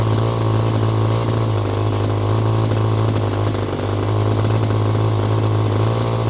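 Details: Echo GT2 200i string trimmer, two-stroke, running after carburetor screw adjustment, choke off: steady even idle buzz with no surging or dying; running normally, carb may need more tweaking.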